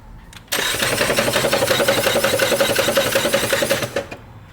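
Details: Ford Fusion won't start: starter cranks with a steady whine and a rhythmic knock about four per second, engine never catches; cracked flywheel, with fluid leaking where the transmission meets the engine.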